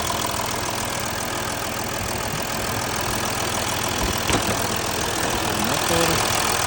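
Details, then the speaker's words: Audi A6 C6 3.0 diesel, 176 kW, near 400,000 km, driven hard: idle clatter with a sharp puffing tick about three times a second; owner says one injector on the right side is blowing by; injector seal blow-by. "Podfúkuje mi na pravej strane strekovač, trošku jeden."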